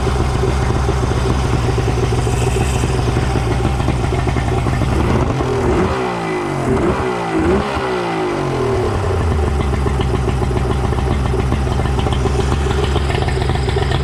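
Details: Suzuki DT65 outboard after repair, with the fuel pump refitted (it had been upside down) and the ignition/flywheel key replaced along the way, now running smooth and steady with an even low burble and no misfire or stumble; running properly.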